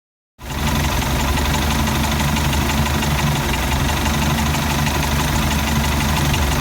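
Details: Mercruiser 3.0 rough idle: a steady low engine drone with an uneven, lumpy pulse at about four beats a second instead of a smooth idle.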